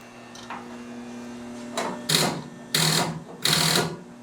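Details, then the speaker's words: Starter on a CJ2A Jeep, sitting about a year, fails to crank: three short harsh buzzes with no engine rotation; spark present and relay clicks, starter appears new; owner suspects bad starter or starter relay. "I got the same effect, so I was in the right ballpark. Starter just gonk out."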